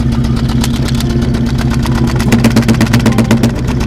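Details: New 351W V8 in an early Bronco, losing power on one bank: lumpy idle with a regular stumble about four times a second. A paper test at the exhaust suggested a bad exhaust valve; a failed pushrod is causing a misfire.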